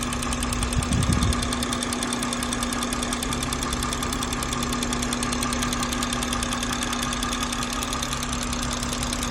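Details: BMW B58 engine at idle: fast light even tick about three per second clearly over steady idle; loud ticking noise, cause unknown.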